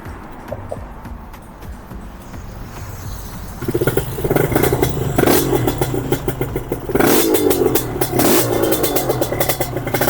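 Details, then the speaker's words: Kawasaki KR 150 two-stroke drag-styled bike with Thai two-stroke exhaust, already warmed (normally starts cold without choke), water pump on: crackly idle then strong crisp revs with clean throttle pickup, no misses; runs strong, better than before. "It runs strong. "Yeah, clearly" It works better than before"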